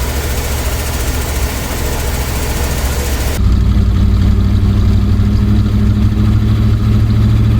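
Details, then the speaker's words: 1965 Dodge van that sat for years, running on old varnished fuel with an aftermarket manual fuel pressure regulator turned to max (7): catches and settles into a steady, even low idle with no misses or knocks; it smoked heavily. "Just run her a little bit longer. Fill up the bowl again. It seems to run pretty decent."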